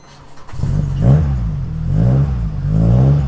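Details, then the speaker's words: Cold-start stumble on a 500+ hp Opel Astra GSI with a Z20LET turbo, unstarted for days. It has no throttle response and wants to die off throttle, surging and sagging about once a second. Owner says it's massively overfueling and the load map is badly off. "Now it wants to die again, as you can tell. As soon as you let off the throttle, it wants to die. So, start it up. Hear that? Massively overfueling, load map is all over the place."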